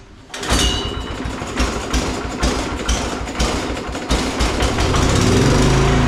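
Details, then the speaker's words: Old Modra generator, small single-cylinder engine, after carburettor replacement and oil change: catches and settles into steady, even chug with a few early stumbles; running fine, sounds much better. "It sounds so much better now."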